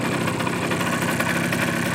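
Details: Suzuki GP100 two-stroke on a test rig, second test after float adjustment, engine hot; warm idle with rapid hollow rattling tick on every stroke; piston slap as hot clearances grew, rebore and new piston planned.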